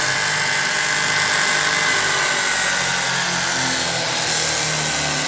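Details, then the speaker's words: Scrapyard-rescued 75 x 2000 mm belt grinder running after electrical reconnection: steady high bearing howl over motor hum at constant speed, plus echo around the housing; bearings due for replacement. Worn bearing howl. "these can be heard howling. In addition, there is an echo around the housing."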